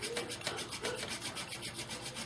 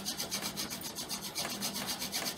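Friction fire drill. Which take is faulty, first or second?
second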